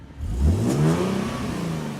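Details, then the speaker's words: Nissan 370Z, warmed up, revved to about 4000 rpm after fitting NISMO true-dual exhaust with 1320 test pipes: deep, smooth swell rising and falling, much deeper than old stock exhaust, faint test-pipe rasp on top; healthy exhaust note. "It's so much deeper than the old one. It still has a little bit of like the test pipe rasp."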